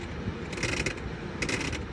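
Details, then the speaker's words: HVAC blower running after a blown fuse; quick metallic rattling bursts from the blower compartment, blower at 1.6 amps; a loose unconnected wire was found but the tip is not chewed, so the cause of the rattle is uncertain. "you hear that that sounds twice so this wire I didn't notice it earlier but this wire is not connected to anything and the tip of it is not chewed up where that would have been bounced into the blower cavity or blower wheel but I'm not [Music] sure why I would get that awful noise"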